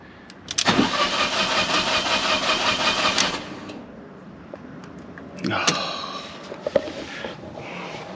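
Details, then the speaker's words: Fiat 500 TwinAir engine: starter spins steadily about three seconds, never fires; crank-no-start with codes P0230 fuel pump relay and P1524. "i was doing cranking and cranking and it just wasn't building oil pressure and because the these twin air engines they need oil pressure to operate the inlet valves"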